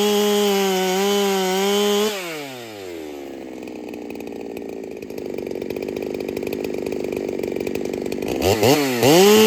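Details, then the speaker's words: Ported Holtzfforma 395 chainsaw after build changes, cutting: drops from wavering high rev into long low bog, then revs back; runs like rings badly need seating, carb fattened, cause unconfirmed. "Now it does run like the rings need seated pretty badly, so that might be all we're looking at."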